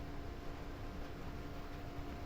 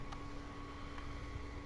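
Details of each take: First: STB HG680P set-top box modded with a 4 cm DC cooling fan wired in parallel to the power switch (suck/blow-out mode), just powered on: a small fan's steady, constant hum with faint fixed pitch, no rattle or wobble; fan running normally. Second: HG680P OpenWRT set-top box modified with a 4 cm DC fan; a constant low drone with a steady tone above it and no change in speed; the small fan runs very loud and noisy.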